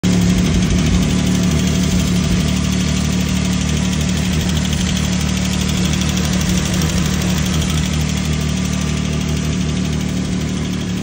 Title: 2022 Can-Am Maverick X3 XRS Turbo RR engine ticking noise?